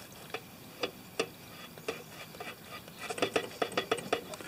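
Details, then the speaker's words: Poulan Pro mower, engine off, tipped on its side after cleaning out the deck: sharp metallic clicks and clunks as the blade is rocked by hand; the heavy knock comes from a loose blade, to be sharpened and retightened. "And I think we just have a loose blade."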